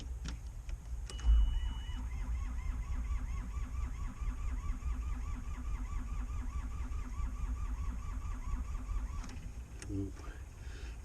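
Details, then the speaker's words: Takeuchi TB135 diesel excavator, cranking after full glow plug cycle: slow, labored, even starter rhythm without firing; battery suspected weak, as it starts right up with a jump. "cranking fast enough I think the batter's probably pretty junk on this thing at this point"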